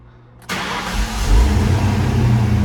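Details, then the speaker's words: 1995 Ford Mustang GT, pump primed first: short quiet spell, then cranks, catches at once and settles into an even, steady idle with no leaks; normal healthy start. "Starts right up this time. That sounds pretty good. No leaks there. It starts up and idles good now."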